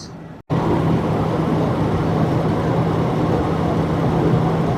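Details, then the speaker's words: GM Envoy running on a hoist in four-wheel drive, in gear: constant deep growl heard through a pry bar held on the front wheel bearing, indicating a worn front wheel bearing/hub assembly. "so I like the pry bar method so put it there and I can hear a real good growly"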